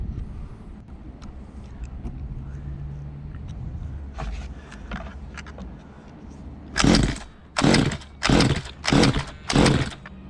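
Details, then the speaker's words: Stock 1:5 scale RC car with a small engine, while tuning the carburetor: five sharp pull-start bursts each die straight away, never catching. Fuel is present; owner unsure whether too lean or too rich and suspects it may be flooded. "give it a pump right so why is it not starting now guys because you touched it that's why"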